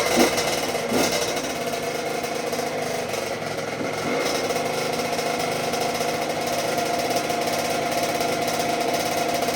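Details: 2006 Honda CR85 two-stroke after a Wiseco rebuild (new crank, piston, seals, bearings, gaskets), first start and break-in heat cycle on choke: an even, crackly idle, quiet with no rattling or knocking.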